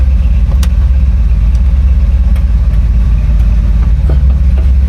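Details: 1964 Chevrolet Impala SS convertible V8 idling shortly after a cold start: steady, even low rumble with a few light clicks (turn signal clicking) over it; smooth, healthy cold idle.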